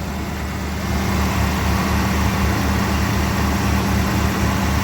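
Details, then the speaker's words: One-owner 1979 Chevrolet Scottsdale 4x4, carbureted V8 on old gas with a battery charger connected, just started after sitting: deep, steady V8 burble at idle with an even beat, no misses, knocks or ticks; running smoothly. "I got to admit the engine sounds really good that is so weird now what do you guys think now man it is sitting here just purring"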